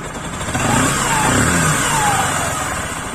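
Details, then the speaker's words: Bajaj Pulsar 135 LS right after a full engine rebuild, idle tuned slightly lower: crisp single-cylinder rising and falling smoothly through quick revs, no knocks or rattles, good-quality engine sound. Normal revving. "देख पा रहे हो friends जो कि इसका engine का जो sound आया ना काफी अच्छा क्वालिटी साउंड आया मतलब।"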